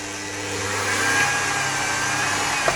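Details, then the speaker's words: Robot Coupe MP 450 stick blender that was stuck, run after disassembly without load before full reassembly; motor spins up to a smooth, steady high whine with no grinding or stutter, so the motor hasn't burnt out. "So the motor hasn't burnt out."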